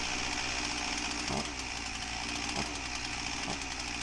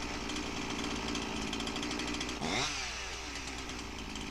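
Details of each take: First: Husqvarna 346XP chainsaw, customer complaint won't idle right: high buzzing idle with faint slow surges, chain won't stop turning; air leak suspected, later found at cylinder base gasket. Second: Husqvarna 346XP chainsaw after the base bolt air leak was fixed and the carb roughly tuned: steady, even two-stroke buzz with no surging or hunting; chain no longer drags; normal running.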